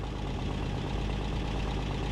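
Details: 1965 Rambler American 440 at idle with large crack in exhaust manifold, exhaust repair paste failed: steady idle with rough chuffing edge and fast ticking under low drone; cracked manifold leaking.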